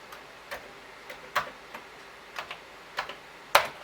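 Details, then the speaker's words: Commodore 1541 disk drive on a Commodore 64 with new power supply: irregular dry ticks, about eight in four seconds, as head steps back and forth without settling, red light blinking rapidly, not a normal error code; fails to read, possible head alignment suspected, unconfirmed. "where the drive will sometimes not read, and it just gives you a rapidly blinking red light. The head moves when it does that. It is attempting to do something"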